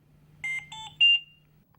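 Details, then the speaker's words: Trilogy100 ventilator medium-priority alarm: three rising mid-pitched beeps in a repeating pattern while the audio pause button flashes yellow, calling for prompt attention. "you hear three beeps in a repeating pattern and the audio pause button flashes yellow medium priority alarms require prompt attention"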